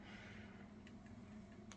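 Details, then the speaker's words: Homemade pulse motor switch with 14-gauge wires and strong magnets, spinning slowly: light clicking a few times a second over a low hum; the switch contacts are making and breaking normally, so current is flowing. "I mean you can hear it clicking and you see how slow it's going and The Click Click means that the energy is flowing"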